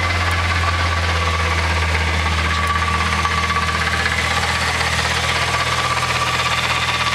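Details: VW MK3 VR6 at steady idle: a rough, uneven knock about three per second over a low hum, caused by a bad transmission bearing.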